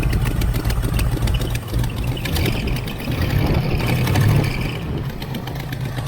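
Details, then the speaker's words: 1980 Camaro Z28 junkyard car V8 idles with a loping, uneven beat about three per second, plus header and exhaust flange leaks; owner suspects a slight miss or a big cam, not confirmed; rough idle. "It's either got a little miss in it or it's got a cam in it."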